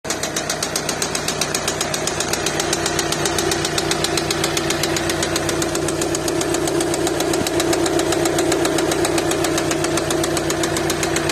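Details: VW Passat B7 2.0 TDI (CKRA) diesel at idle: a loud, hard, regular clatter, about four knocks a second over a steady hum; cause unknown.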